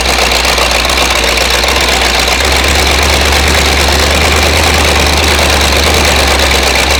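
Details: Flathead V8 (truck) on homemade engine run stand, first run, hot: loud, uneven idle with ragged stumbling beat, about four pulses a second, some cylinders weak but slowly coming back to life over heat cycles; cause not confirmed.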